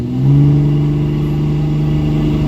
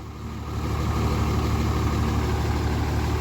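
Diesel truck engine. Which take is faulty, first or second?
second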